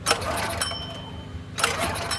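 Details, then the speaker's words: Predator 212 small engine, choke on, borrowed fuel: four recoil pulls spin it over without firing; no start because fuel isn't reaching the carburetor, bowl still dry. "If we don't get fuel to it, then it doesn't matter. Bowl's still pretty dry."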